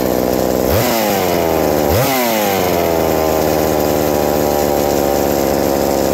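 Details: Reassembled McCulloch 790 MC101 two-stroke chainsaw with an ignition chip and a Walbro WB37 carburetor on a homemade adapter, bar and chain fitted: two crisp rev blips, then a steady even idle; idle drops slightly with the chain fitted but runs healthy.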